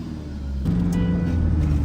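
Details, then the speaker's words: Tata 2.2 150 diesel with check engine light, hard starting and poor acceleration: revs climb then hang flat at about 2,800 rpm ceiling on test drive; limp mode, codes point to cam sensor, crankshaft sensor also replaced. "ทดสอบวิ่งเทส2,800รอบนะไฟเช็คEngineเด้งนะฮะรถวิ่งได้แค่ประมาณนี้นะครับ"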